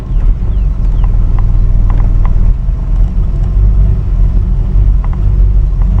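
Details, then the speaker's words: Continental Mark III V8 after a transmission install, long-sitting and due a tune-up, choke possibly stuck and possibly running rich: deep, lumpy, uneven idle with faint sharp ticking. Rough idle; the exhaust manifolds are leaking. "yeah she's she needs a good tune up it's been sitting for a long time this [Music] car and I need to uh tighten exhaust up a little bit more too the manifolds are leaking"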